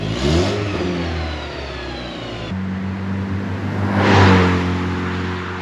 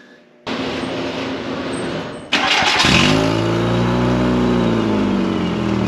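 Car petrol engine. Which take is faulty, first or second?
second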